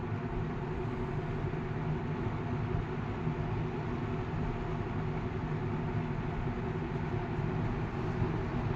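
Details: 1980 Galaxy 3713 three-speed box fan with a shaded pole motor, on a variac at low speed drawing about 1.1 A: steady low hum with an even rush of air and no rattle, scrape or wobble, so the fan runs normally.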